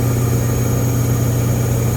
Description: I get that a spin cycle is going to be somewhat loud, but this thing is super loud, super high pitched, and sounds broken. The bad news, according to the service techs this is NORMAL for this model, and a replacement will sound the same.